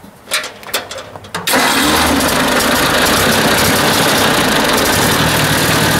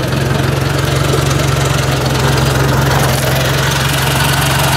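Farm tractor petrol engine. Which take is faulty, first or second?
first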